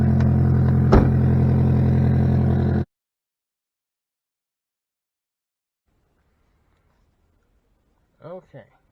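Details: Ion Redline exhaust after the pipe hole under the heat shield was patched with a tailpipe repair wrap, not yet cured: about three seconds of steady, even running, no puffing or hiss; exhaust sounds sealed, normal note.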